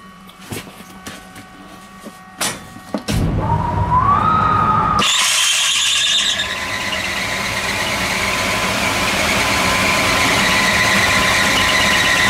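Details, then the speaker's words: Air handling unit extraction fan starting up: clunks, then a sharp high squeal rising in pitch as it spins up, from a very slack belt with motor and fan pulleys also misaligned; belt to be tensioned. "alors on a entendu le bruit merde ça c'est tendu comme de la merde aussi on va tendre"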